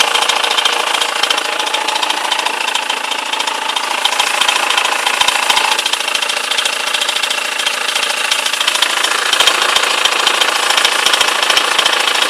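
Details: BMW E91 with M47 diesel at idle: sharp, even clatter of about three to four knocks a second over the engine noise. Abnormal knocking at idle, cause unknown.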